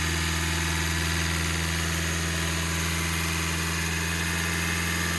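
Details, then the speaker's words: Hyundai Creta diesel after injector repair fixed a no-start after running out of fuel, revs held raised: smooth, even clatter at a steady fast idle with no misses or knocks; a pipe leak noted; normal idle. "गाड़ी हमारी start हो चुकी है। तो guys finally गाड़ी हमारी start हो चुकी है।"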